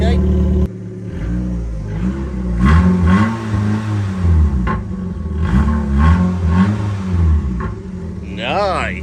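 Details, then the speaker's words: Rover Streetwise with a K-series petrol engine, laid up for three or four years, run with the exhaust back box removed: a deep, raw, booming exhaust that swells loudly with each throttle blip. The missing rear silencer is why it is loud. "okay so for the fun of it let's just start her up with no exhaust back box she is [Music] throaty"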